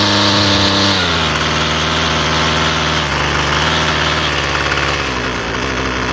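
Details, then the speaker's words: Husqvarna 128LD string trimmer after carburetor replacement (it previously barely ran and never ran off choke): the small two-stroke settles after a blip into a steady, even buzzing idle off choke; running clean, repair successful. "Sounds good. And then to turn it off, you just press that, and it's fixed."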